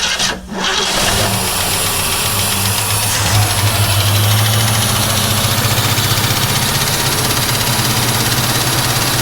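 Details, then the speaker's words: 1967 Ford Mustang restarted with valve cover off after the tick was suspected to be a rattly PCV valve: cranks, catches and settles to a steady idle with only usual valve and lifter noise, no tick, good oil pressure; normal running. "There you go. I heard no ticking, did you?"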